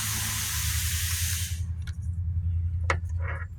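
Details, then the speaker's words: 2014 Chevy pickup with 5.3 L engine, cylinder 8 misfire and low compression: during a leak-down test with the valve followers removed, about 1.5 seconds of rushing air hiss escapes past a leaking intake valve. "So that's the cause of the low compression and that's the cause of the misfire. Pretty much that's because the intake valve it's leaking."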